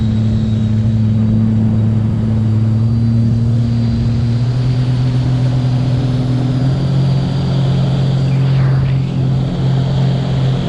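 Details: Two jet skis, a Stage 2 2020 Sea-Doo RXT-X 300 and a Stage 3 RXP, run on a hot day with full tanks: a steady, deep, even drone with no misses, knocks or surging. Both sound healthy.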